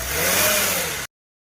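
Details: Mercedes 350 CDI OM642 diesel: short rev with a harsh metallic rattle rising with revs, attributed to the high-pressure fuel pump.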